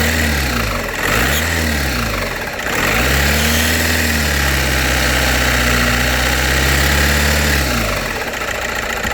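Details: VW Passat B5.5 1.9 TDI revved up and down after standing a month without oil, oil pan replaced: loud hard quick tick over diesel clatter rising with revs; lifters and cam seem okay, revving 2500-3000 rpm didn't help, cause unknown.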